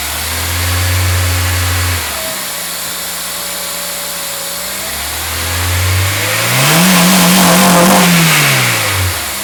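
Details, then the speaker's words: 2003 Acura RSX Type S with AEM cold air intake replacing stock airbox: idle rises smoothly through two clean revs and settles back with a deep throaty intake roar; engine healthy. "I also put in HIDs and fog lights over there for those interested this is what the cold air intake sounds [Music] like"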